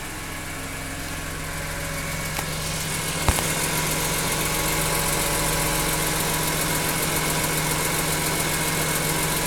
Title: E46 m3 ticking sound